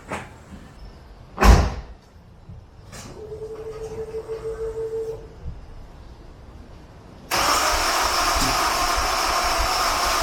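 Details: Honda S2000 cranked again with the injectors reconnected after fuel-clearing cranks left a strong fuel smell: starter churns in short bursts, never fires. Cause unknown; crank, no start.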